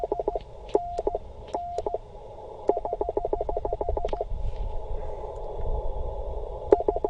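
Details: Bamatech CW paddle key during a 20 m POTA activation, adjusted tighter the day before: choppy ~700 Hz sidetone with stuttering, dropped, irregular elements instead of clean dits and dahs; key misfiring from the adjustment.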